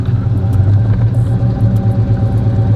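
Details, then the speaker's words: 1984 Chevrolet Caprice carbureted engine on a drive: low heavy rumble stays flat under throttle, won't upshift, tops out near 25 mph; engine bogging, cause found to be the carburetor's pop-off spring controlling fuel flow. "you see the girls won't change and then you try to gas it it won't it won't do nothing so I lied to go about 25 miles per hour that's far that's as fast as it'll go"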